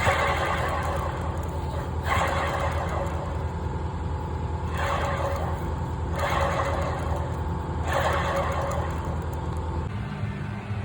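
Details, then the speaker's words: 2021 Ram 1500 9.25-inch rear axle, 60k miles, pinion seal failed so the pinion bearing ran dry, seal removed: the bearing spun fast gives a coarse, gritty roar swelling in uneven surges every couple of seconds; damaged pinion bearing needs replacing. "You can hear again exactly how loud this bearing is once I took the seal off."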